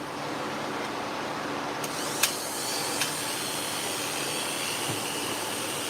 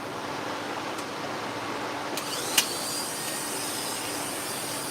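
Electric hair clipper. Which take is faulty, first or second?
first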